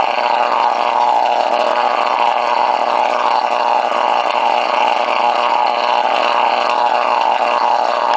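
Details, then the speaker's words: CFR unit with spark plug and screen in reused, dirty water: after running over a minute, steady buzzing roar gains a hollow echoing harmonic over the plasma sparking crackle; cause unclear. "it starts uh making this other harmonic kind of a sound that's uh like it's an echo kind of a sound aside from the plasma sparking up sound"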